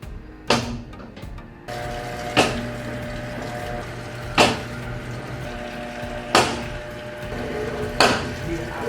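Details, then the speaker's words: New Haceb washing machine, as the drum turns: sharp, loud bangs roughly every two seconds over a low hum; the source of the banging is unknown. "lalu mesin cuci ini ketika berputar setengah sebelum mulai berputar, mengeluarkan suara yang nyaring"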